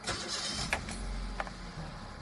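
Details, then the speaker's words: Automatic-transmission car started in N, since it starts only in P or N and not R: a short crank catches quickly into a quiet, even idle; a normal start with no hesitation. "jadi untuk catatan mesin matic hanya bisa di start dalam kondisi P dan N."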